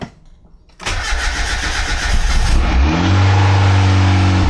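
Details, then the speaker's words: Boosted Miata, first start after engine reinstalled, fuel pump primed and no leaks; starter whirs, engine catches into a low steady run then dies; good oil pressure, later runs fine, VVT problems remain. "It started, and it died. Got oil pressure. Good oil pressure."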